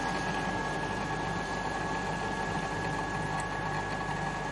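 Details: Bosch CTL636ES1 built-in fully automatic coffee machine that won't grind, warning that the bean container is nearly empty: steady pump hum through the brew cycle with no grinding sound and only water coming out; the grinder is worn and not turning.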